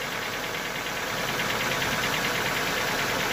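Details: Lada Vesta cold start, about 9,000 km on current oil, oil topped up after dropping to minimum: after the lifters quiet, a light regular ticking knock about three times a second over the warm-up idle, owner suspects piston noise that fades as it warms.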